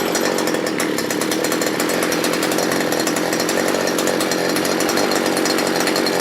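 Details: Small two-stroke earth auger engine, after repair with a replacement carburetor from a sprayer, previously starting hard and dying when revved: evenly buzzing at steady high speed with no stumbling or dying, running clean.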